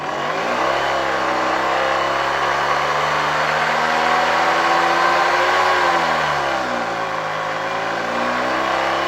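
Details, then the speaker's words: 1972 Hoover 1346A vacuum cleaner, restored and reassembled, run at reduced voltage through a voltage regulator. Loud, steady motor hum whose pitch wavers as the voltage changes. Much louder in the housing than when the motor ran on its own; owner blames the assembled parts together despite tight mounting. "I have to admit, this motor was much quieter when it was removed from the vacuum cleaner . After installing it in the entire housing, it's quite loud."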